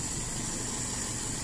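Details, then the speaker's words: Toyota Kijang 5K engine on a cold morning, 12 hours after a valve adjustment (intake 0.20, exhaust 0.25): an even idle with no valve tapping, only slight cold-engine vibration under some hiss. "saya halus enggak ada bunyi di bagian klep cuman bagian di getaran saja karena ini masih dingin ya masih pagi hari"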